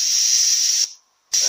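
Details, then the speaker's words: A340 automatic transmission solenoid bench-tested with 70 psi air at voltage reduced to 8.8 volts: a steady hiss of air passing through, cutting off cleanly and resuming; the normally closed solenoid still opens normally at the reduced voltage. "it's still working."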